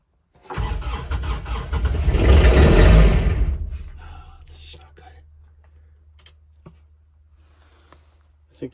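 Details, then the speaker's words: Kubota RTV900 diesel at -8°F with summer fuel: slow, labored cranking at about 3.5 beats a second, never catching, then fading. Owner suspects the fuel is frozen. Cranks, no start. "yeah it's -8 ted yeah this isn't sounding good at all"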